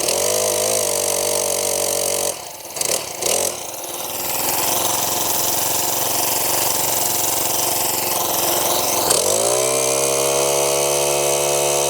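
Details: Brand-new Mantis 7940 tiller, just assembled, with fresh oil and fresh gas, primed and started: the small engine starts clean and runs with an even buzzing beat, dips briefly on throttle, then climbs smoothly; healthy new engine.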